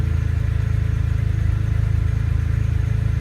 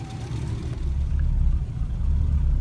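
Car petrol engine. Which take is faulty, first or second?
second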